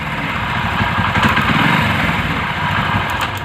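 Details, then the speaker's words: Motorcycle that starts at idle but dies when revved; carburetor cleaning did not help: sharp, irregular ticks break through at higher revs from a cracked ignition coil leaking spark; misfire. "இப்போ பாருங்கள், race பண்ணும்போது ஒரு sound ஒன்று கேட்கும். இதுமாரி இல்லை, டிக்கெட்டுக்குன்னு ஒரு sound ஒன்று கேட்கும்."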